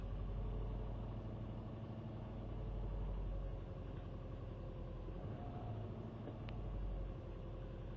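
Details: Subaru WRX cold start: low engine rumble at cold idle whose rpm swells and sags every couple of seconds, throttle blipped to disturb it; recently started hunting idle, cause unknown.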